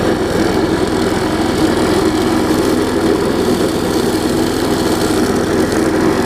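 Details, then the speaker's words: Big weed trimmer with a new carburetor and a fixed belt, single-cylinder engine running in an even, steady drone, a little loud but with no misses, knocks or surging; normal running. "so you hear it runs gets a little loud but nothing too bad and figured y'all want to see a little test run of it"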